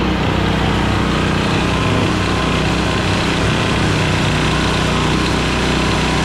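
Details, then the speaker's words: Centurion 3250 W generator that had sat with old fuel, after settling a minute from a choked start: an even, steady high-pitched note with no hunting; running smoothly. "give it a minute to see if it Smooths out I might not have given that bow time to fill it's smooth now"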